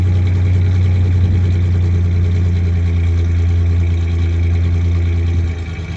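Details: 1993 Ford Ranger 3.0 V6 at idle: low, lumpy, loping beat instead of a smooth hum; misfire, one cylinder dropping out, misfiring cylinder not yet identified.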